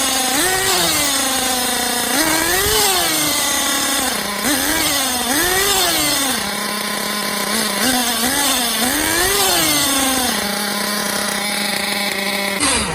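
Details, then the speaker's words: Losi 8IGHT-T truggy with LRP .32 nitro engine, just fitted with a Novarossi 24063 carburetor replacing the stock X-Tech, revving on a starter box: crisp high-pitched buzz rising and falling with throttle blips, steady idle; engine running normally. "I have it on the starter box revving. You can hear and see the difference of throttle response between the two carburetors."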